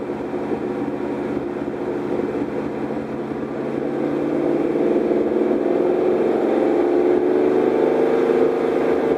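Engine pulls up with a rising tone but a ragged, uneven beat runs underneath, a stumble like a cylinder dropping out; misfire.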